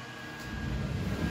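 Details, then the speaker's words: Early PS4 Pro under load at a game menu, stock fan after dusting and thermal paste change didn't help: loud steady rushing whoosh with thin tone, jet-engine loud, louder than desktop PC; fixed by fan replacement. "so that's a 4k uh console console built for 4k under load uh and it sounds like a jet engine way louder than my actual desktop pc"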